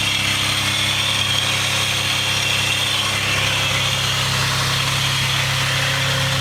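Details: Mitsubishi 3000GT / Dodge Stealth twin turbo at idle, microphone under the car: bright hiss with scratchy high-pitched rasp, apparently from one side of the engine; source unidentified (start-up tick is known lifter tick).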